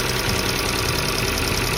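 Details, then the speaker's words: Engine valve tick: crisp, rhythmic light metallic ticking like a small hammer, about ten times a second over steady idle, attributed to excessive valve clearance or worn hydraulic lifters. "第二种就是气门异响，也是很有节奏的清脆的敲击声，听起来哒哒哒的，很清脆的声音，就像小锤子在敲发动机。"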